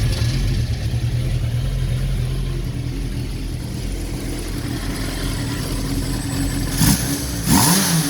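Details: Honda N600 after carburetor work, float bowl vents open to atmosphere for crisp response: low steady idle broken by two quick sharp blips that rise and fall cleanly; normal, crisp throttle response.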